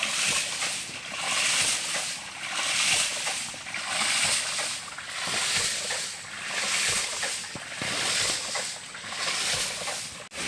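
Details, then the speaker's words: PVC hydraulic ram pump, 24 m drive pipe, 50–75 cm drive head, described as very low; steady surging whoosh about every 1.5 s, regular water pulses, vibration called solid but stroke sounds soft. "Pompa hidran PVC. Kita dengarkan suara getarannya cukup mantap. Suaranya getaran mantap ya."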